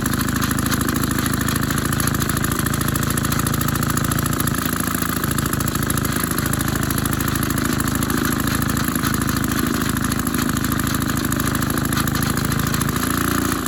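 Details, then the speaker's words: Maytag 72 engine driving a power hacksaw, one cylinder more worn, pulley changed from 4 to 5 inch, adjusted to lower rpm: an even, fast popping beat near 200 firings a minute holds steady. Normal low-rpm running. "it actually is running better at lower RPMs than I thought it would"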